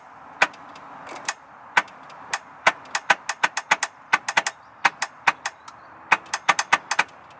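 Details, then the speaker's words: 1996 VW T4 2.5 TDI (ACV engine) with ongoing starting problems: sharp uneven clicks about three or four a second with no cranking; owner suspects a sticky starter-motor solenoid. "So clicking is coming down to there. It sounds like the solenoid on the starter motor is sticky."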